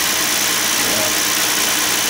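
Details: Hyundai 3.8 L V6 with about 120,000–125,000 miles, after repairing a leaking valve cover gasket that dripped oil onto the alternator: steady, even idle with a smooth hiss and no knocks, misses or ticks; runs smoothly.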